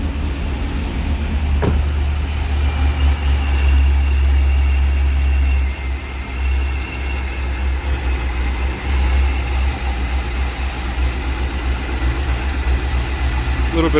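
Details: 2001 C5 Corvette V8, first start after replacing valve cover gaskets and grommets, with covers off to check for oil leaks and some residual smoke: a steady low rumble with an even idle beat and no ticking or misses. Normal idle.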